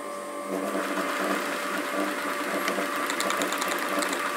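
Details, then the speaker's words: Rimoldi 065-34-22 lace sewing machine, rescued from scrap and cleaned out, running with lace feeding: soft steady hum with light even mechanical patter, no knocking or grinding; motor beautifully quiet. "Steady as she goes. The motor's beautifully quiet."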